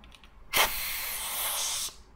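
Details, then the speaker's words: Brand-new air chuck on newly sealed NPT air tool fitting; sharp steady hiss of air leaking from the chuck's unseated outlet end, not the sealed pipe threads, then cuts off. "that was actually leaking out of the end of it because it's brand new probably just wasn't seated"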